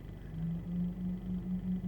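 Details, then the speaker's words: Auxbeam F-S2 H11 LED headlight bulbs, engine running and radio off: a low, steady pulsing hum from the bulbs' cooling fans is heard in the cabin. It disappears when the headlights are switched off. Normal LED headlight fan hum. "even with the engine running without the radio on I can hear this distinctive humming sound coming from the vehicle and if I turn off the highlights it disappears"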